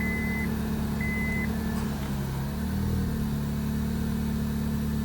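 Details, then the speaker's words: 2001–2005 Honda Civic after ignition switch replacement: starts right up and settles into a smooth, even idle with a steady low hum, no misses or knocks, a couple of dash chimes; normal idle. "Put your key in the ignition hole. You already hear that sound. Boom. Starts right up. No issues."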